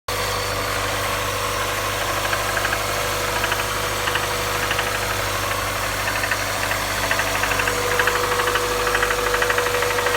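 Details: 1998 1.8 engine at idle: a faint, fairly regular knock about twice a second rides over the engine hum; cause not yet clear.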